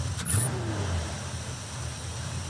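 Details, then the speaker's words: 1957 Chevy Nomad V8 after fuel system work, carburetor idle mixture adjustment and timing set to 34°: a crisp blip of revs settles into a steady, even idle with no stumble; normal running. "So, I think we're good to go. It sounds nice and snappy."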